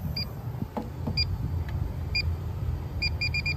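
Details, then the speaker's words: Inficon Gas-Mate combustible gas detector at a Trane rooftop unit after gas valve replacement, inlet pressure point deliberately cracked open: sharp chirps speeding into a rapid string, alarming on the gas leak. "All right, I cracked the inlet pressure point. I just want to hear it go off, see what it sounds like."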